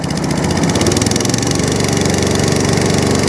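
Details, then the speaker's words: Atco Balmoral 14S single-cylinder mower, started with a bit of choke: picks up from a rough low beat to a fast, even buzz and holds steady at high throttle; runs clean, back up and running (drive grunchy). "lovely little idol and turns off good there you go lizzy part of a raw fleet now all up and running again"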